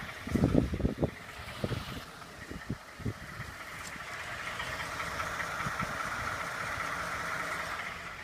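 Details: 2012 Ford F-150 5.0 V8 at idle: sharp uneven knocks in the first few seconds over the steady engine hum; engine knock at idle, source not identified.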